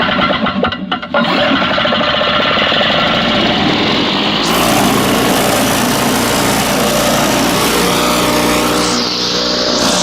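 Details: Circa-1980 Flymo two-stroke lawnmower, unused about 10-20 years, after carb cleaning: catches after a brief pull and settles into a steady busy buzz with no misfiring; runs pretty good.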